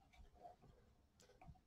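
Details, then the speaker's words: Lee Auto Breech Lock Pro press with Pro Auto-Disk powder measure, modified with the spring hooked into a drilled washer: light crisp clicks and a final snap as the measure actuates and springs back. It resets properly. "as the powder gets actuated that spring provides enough tension that it will reset properly"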